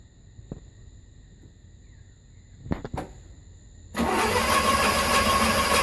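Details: 1981 Pontiac Trans Am 301 turbo 4.9 L V8 with newly installed FiTech EFI, first start attempt: starter cranks at a steady even rhythm for a few seconds but never fires; distributor blue tach wire accidentally pulled out, so EFI got no RPM signal.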